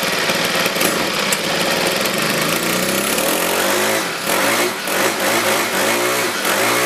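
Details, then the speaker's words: 4-cycle Weed Eater trimmer after carb rebuild and recoil repair. The small four-stroke buzzes steadily with clean even firing, and revs rise and settle. Idle is a touch high and it may be blowing out debris; normal running. "okay I think it's very successful like I said there's only the idol these do like to round up a little higher at least it sounds like it's higher but don't worry"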